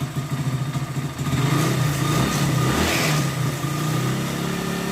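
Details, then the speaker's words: Hero Glamour BS4 single-cylinder bike just after full engine rebuild, freshly started, before 1-hour running-in: steady tickover into a smooth rev and back down, even, no knocks or rattles; mechanic calls it very smooth; healthy. "Engine sound అయితే smooth వస్తుంది, మీకు already అర్థమవుతుంది. Engine sound అయితే చాలా అంటే చాలా స్మూత్గా ఉందన్నమాట."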